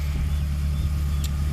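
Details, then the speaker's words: K24A engine swapped into a DC2 Integra with a rebuilt transmission, at first start: steady, even idle with no knocks, ticks or hunting, sounding like a typical healthy Honda. "So it sounds really good. I don't know if I can go ahead and try to get my foot on the throttle here. Sounds like a typical Honda."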